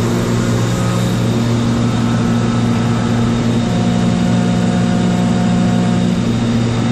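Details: Kaeser DS200 150 HP air-cooled rotary screw compressor, 460 V three-phase, built 1990, 47,597 load and 56,834 run hours, with new oil and filter. It gives a steady, even drone and low hum with no knocks, rattles or surging; works as it should.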